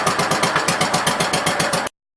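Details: 1967 Gravely C10A single-cylinder engine during stator and charging-system repair, owned since about 2013. Uneven chuffing at about six pulses a second, wavering before cutting out; the owner thinks it is running out of gas.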